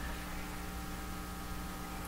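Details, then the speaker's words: 1940s Canadian Red Cross five-tube radio on an isolation transformer, tubes possibly not working: steady low hum and faint hiss, no station audio, touching the antenna gives little response; cause not yet found. "but you would think if the tube's not operating you're not going to hear anything let's touch the antenna not quite the response you want"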